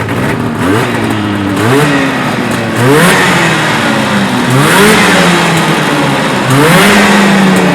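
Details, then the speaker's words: Arctic Cat Jag two-stroke snowmobile after carb cleaning (clogged pilot jet) and choke seated: revs blipped up and down climb and drop crisply with no stumble or misfire; runs clean and normal. "And the sound of it is clean and neat. Absolutely no snow flap."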